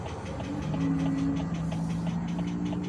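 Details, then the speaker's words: Vehicle with a transverse engine, stopped at idle: light, regular tick about four or five a second. An additive for the ticking was already tried; the owner suspects a loose bolt rather than the engine itself, not confirmed. "I did put stuff in there for the clicking, but it might not be. It might not be for It might not be the engine itself doing it. It might be just a bolt, but the engine's sideways"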